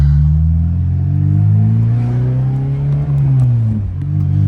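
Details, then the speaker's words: Acura RSX Type S driven on the road with exhaust leaking at two or three muffler and resonator joints, owner suspects wrong bolt sizes and bad gasket; idle air control valve needs cleaning. Deep, loud droning exhaust swelling with throttle. "kind of hard to film and try with one hand but she does all right it's definitely a little bit loud but if I could fix the exhaust leaks I'm hoping that might help"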